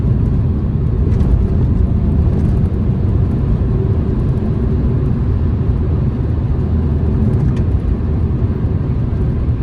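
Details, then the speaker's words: Mini Cooper bought cheap as a trade-in, test drive on the road: steady low road rumble with no clunks, bangs or knocks from underneath over bumps; steering positive, suspension works well; normal suspension. "Suspension's not banging, lumping around, seems to work very well. No knocks or bangs from underneath."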